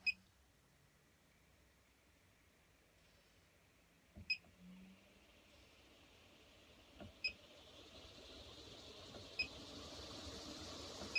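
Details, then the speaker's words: MaxxAir MaxxFan Deluxe roof fan in a 2020 Runaway RangeRunner 6x8 mini camper, phone recording beneath it: button beeps, then a soft airy whoosh rising step by step through speeds to 10; very quiet, running normally. "And I don't know if you can hear it. It's just very, very quiet."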